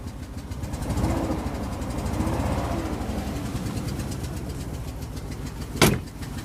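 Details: 2003 Range Rover L322 4.4 V8 on LPG, code P1301 multiple misfire plus cam sensor bank 1 and thermostat faults: lumpy, pulsing low idle with a faint rattle; misfire with unidentified noise, cause unconfirmed.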